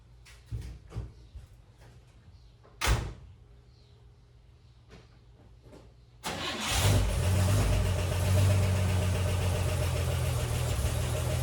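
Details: 1957 Chevrolet Bel Air inline-six, started after sitting for years, won't idle and dies off throttle: uneven, lumpy idle after a few clicks; rough running, later traced to a missing carburetor choke part.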